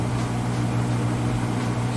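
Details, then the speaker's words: Whirlpool vortex top-load washer, final spin with the drain running: an even, steady low hum at constant speed with no thumping or wobble; the spin is smooth and balanced. "Smooth and balanced. And I'll put that lid down and show you. Sounds great."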